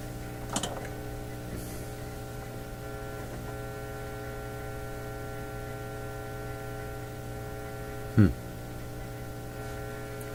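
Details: Nordmende Elektra F13 valve radio, after about half an hour running, has gone quiet with a steady low mains hum and faint clicks; output tube grid voltage has risen to about +1.3 V; output-stage trouble suspected, unconfirmed.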